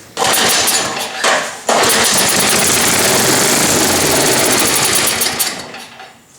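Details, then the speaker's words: Cheap MTD snowblower, owner reported governor issues, pulled over at full throttle and full choke with the plug hole primed: ragged sputtering bursts for several seconds then dies away; good compression, likely only carb issues. "okay cool i'm okay with that sounded fine"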